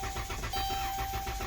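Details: Engine cranks steadily but never starts; the battery read 2.4 volts and was jumped, and the starter had reportedly been replaced for a no-start rather than a no-crank; a faulty TIPM causing the no-start.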